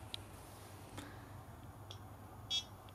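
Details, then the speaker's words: GoTEK Atari floppy emulator with a hardware sound mod, loading disk images (F10 selected): short sharp beeps and ticks in irregular bursts over a faint low hum, showing the step-sound mod works normally. "hear the beeping oh it worked uh-oh I don't believe it look at that it's like lightning fast I can hear the disc sounds and there it is"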